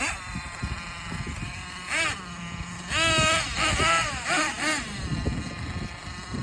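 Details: Thunder Tiger S50 8.2cc engine, first run after rebuild: a high-pitched buzzy two-stroke note rising and falling over wind and handling noise, running cleanly under throttle.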